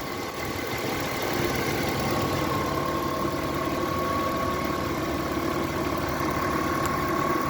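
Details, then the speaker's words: Audi A6 C5 2.4 petrol 1998 idling after alternator repaired and reinstalled: steady hum with faint high whine appeared since; owner asks what is humming. "После замены генератора, есть после его ремонта, появился какой-то гул. Что может так гудеть?"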